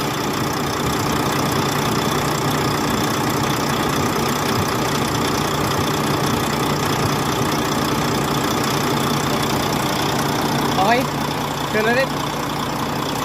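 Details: Volvo truck diesel, likely D13, after valve clearance and injector adjustment for a ticking noise: steady, even idle with a low drone and no ticking or knocking; valvetrain sounds settled and healthy.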